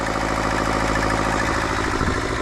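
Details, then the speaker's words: Turbo fuel-injected Daihatsu Mira kei car right after start-up: a rough, diesel-like ticking clatter at idle; owner suspects a cracked exhaust manifold, not confirmed. "You hear how it kind of sounds like a diesel? I think I have a crack on my exhaust manifold, which is causing this."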